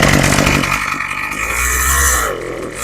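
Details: Craftsman 27cc two-stroke string trimmer, sat two years, after carb rebuild and new fuel lines, low and high needles set near one turn out: buzzy idle surging and sagging every second, never settling; mixture and idle still need fine adjustment.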